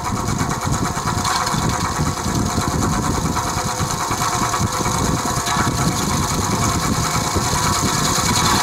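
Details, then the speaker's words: Vintage Penncrest (rebranded Lakewood) 20-inch 3-speed box fan on low, oiled repeatedly, no motor shaft play, blades tight: low hum with uneven fast buzzing rattle; owner suspects worn bearings, unconfirmed. "when it runs it's rattling it's noisy i've oiled it several times before the noise doesn't go away"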